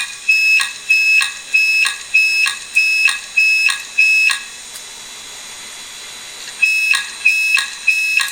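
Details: Old Maxtor/HP hard drive started while opened; high shrill tone pulses repeating about every 0.6 seconds, brief pause, then resuming; failing drive screeching like an alarm siren.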